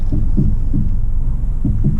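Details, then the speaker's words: Suzuki Swift Sport ZC32S driving after fitting Cobra 40mm lowering springs: dull low clunks in uneven pairs over road rumble; owner suspects spring bind from over-compressed springs. "can hear that sort of clunking sound and that means i think what i've done is i've compressed the springs a little bit too much"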